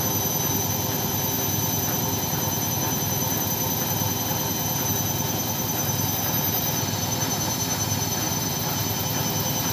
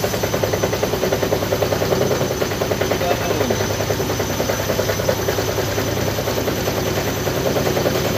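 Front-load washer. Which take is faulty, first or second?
second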